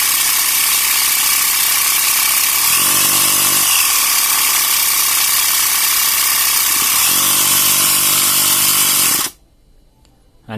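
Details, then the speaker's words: Portable 12 V cigarette-lighter air compressor after silicone spray in the cylinder and a broken hose cut back: harsh fast even buzzing as pressure builds to 11 bar, then a clean shut-off; pump now works acceptably and runs warm. "เป็นบารนะครับได้11บารเลยนะเมื่อกี้นะครับอ่ะถือว่าพอใช้ได้นะครับ"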